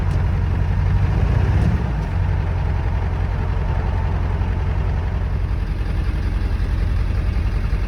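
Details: 7.3 Power Stroke diesel truck, cold start after sitting about two weeks, key cycled for glow plugs: loud, steady low diesel clatter at idle, even and unbroken; healthy cold idle.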